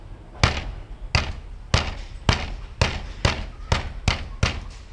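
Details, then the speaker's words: 1994 Mercedes S600 coupe on a lift: tapping the left-side front section of the catalytic converter gives sharp taps about every half second followed by a brief tinny buzz; loose converter internals rattling, right side okay. "now the problem is with the left side front portion of catalytic converter it makes the noise so if I hit it you can hear it"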